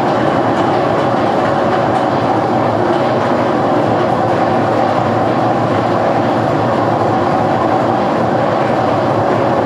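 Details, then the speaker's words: GE washer during agitation: loud, steady rumble with rhythmic clacking as the drum turns; described as a bad bearing, also called a bad transmission needing replacement. "What I have for you is I have a General Electric washer that has a bad bearing, and this is what it sounds like."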